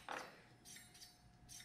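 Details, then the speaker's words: MTB disc brake after caliper alignment with an adjustment tool: light repeating swish-and-tick about twice a second as the wheel turns, slight pad rub, likely from a not perfectly straight rotor. "you can hear a little bit of rubbing but that's pretty darn good and yeah that works pretty well"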